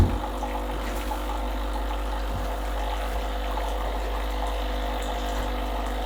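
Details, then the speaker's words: Breville BES870 hot water spout dispensing a fixed 8 oz to warm a cup, on a freshly descaled machine. Steady, low pump hum with water hiss, even and unbroken; normal hot water pump operation. "it will dispense exactly eight ounces not sure how many milliliters that is"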